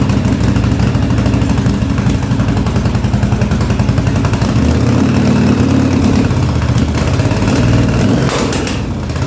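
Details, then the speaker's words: 1983 Yamaha Virago 920 barn find, after replacing a dead rear-cylinder plug, trying to idle: lumpy, uneven idle with beats dropping out irregularly; front cylinder cutting in and out, owner suspects fuel or plug; gas leaking. "now going to try the idle got gas leing here and there I wouldn't say she's real happy about waking up"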